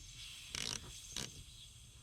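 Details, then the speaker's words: Duramax diesel after fuel filter replacement, bleeder screw on top of filter loosened while pumping the primer button: three short gurgling, hissing spurts, one per pump, as air is purged from the fuel system until fuel comes out. "can hear all the air in the system. Just go ahead and prime this until all that air comes out."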